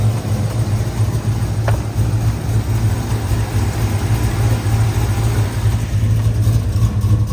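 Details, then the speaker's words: Truck with a 6.2 engine swap, still needing a tune: deep steady V8 rumble with uneven loose beat but missing its former lumpy cam chop. "yeah it doesn't chop the the chop that he used to have is not there"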